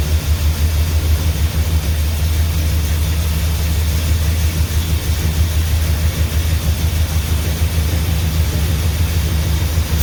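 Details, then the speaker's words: 400 big block in a truck, just fired with little gas in the tank: deep, steady low rumble with an even beat and no knocks or ticks; idling cleanly and healthy. "well it runs [Music] actually sounds decent this is a 400 big block in this truck okay it runs"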